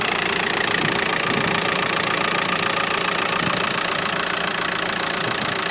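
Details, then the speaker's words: Healthy diesel idle of a 2008 Volkswagen 1.9 (75 kW, 170k on the odometer), evenly clattering with a regular beat and no extraneous noises, knocks or vibration; normal diesel idle. "хорошо работает без волнения двигатель без всяких посторонних звуков стуков вибрации"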